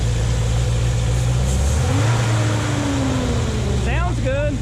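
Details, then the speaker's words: Chevy/GMC 1500 truck V8 (5.3/6.0/4.8), after fan clutch replacement: deep, steady V8 idle with an even beat, no knocks or ticks; engine running really good, normal idle. "it gives me time to work with this radiator system everything's running really good"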